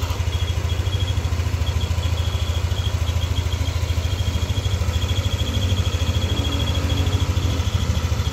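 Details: Yamaha NMAX V2 scooter engine at hot idle: thin steady high whistle over even chugging, appearing only once engine is warm and disappearing when revved; worn bearing near water pump.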